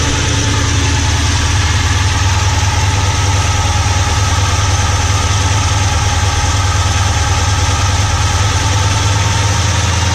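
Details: VK Commodore that hasn't moved for over a year, running on old fuel: steady idle with fast light ticking clatter over the low drone, from the hydraulic lifters tapping on the camshaft.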